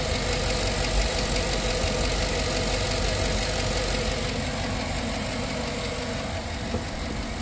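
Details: Light, fast lifter tick about three taps a second over a steady idle on a GM AFM V8, right after adding Prolube oil additive. It persists cold to warm and after a couple of minutes; the owner says it usually goes away on its own after driving.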